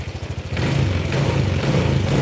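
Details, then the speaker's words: Honda Vario scooter that ran rough cold ("blebek-blebek") but normal hot, after a reset: choppy pulsing idle steadies into an even, stronger run; engine temperature 82. "beda teman-teman beda ya Kalau tadi itu blebek-belebek"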